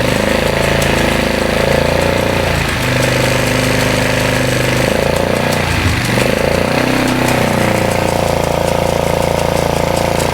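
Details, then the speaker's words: 2001 Polaris Scrambler 500 2x4 ATV just started after no-spark repair, idling: steady low idle with uneven loose metallic rattle on top, seemingly from gearbox area; rattle while running, source not pinned down. "I can hear Something in this gear box rattling. I hear that. But there's something in here rattling,"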